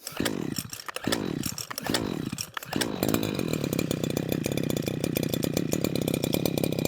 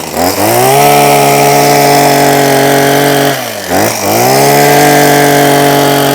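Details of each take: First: Husqvarna 123HD60 hedge trimmer, not run for a long while, with new fuel lines fitted. Three cord pulls catch briefly, then an uneven, pulsing buzz on choke that never settles. Carburettor fuel delivery fault; owner suspects the gasket and diaphragm. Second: Husqvarna 123HD60 two-stroke hedge trimmer after carburetor clean and new diaphragm, previously not running: revs cleanly, holds a steady high buzz, dips briefly and picks straight back up; running strong and healthy.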